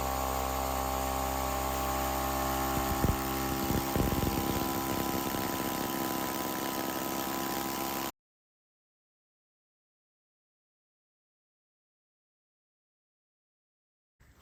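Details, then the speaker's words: Husky air compressor after piston ring and copper line replacement: steady, even pumping beat, then shuts off; rhythm never changes, stuck at 80 psi. Not building pressure; cause unclear. "Well, it is not filling at all. It's still right at 80. So I don't know what the heck is going on."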